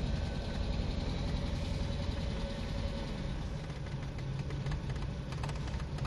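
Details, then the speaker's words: Nissan Sentra with P0300 random misfire, freshly reassembled engine with head work, idle problem when hot; after idle relearn, target 700 rpm, idle uneven and lumpy, wandering 800 to 600 and dropping too low: unstable idle. "aquí supuestamente ya le hice el ajuste justo en relato en objetivo actualizar 700 revoluciones 800 600 está cayendo demasiado no no lo permite señores"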